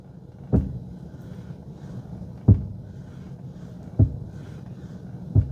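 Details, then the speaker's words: Mercedes W124 making a knocking noise on left turns: single dull clunks every 1.5–2 seconds over a low rumble while turning. Cause is a worn ball joint on the driver's-side drag link. "I noticed that there's a knocking noise when I make left turns so maybe one of you have a similar concern"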